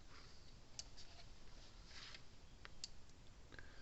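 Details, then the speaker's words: Gallagher Power Plus S50 solar electric fence charger after a new transformer was fitted: soft sharp ticks about two seconds apart, quieter than before, output almost 10,000 volts; on/off switch still misbehaving. "Alright, let's turn it back on. See how much quieter it is."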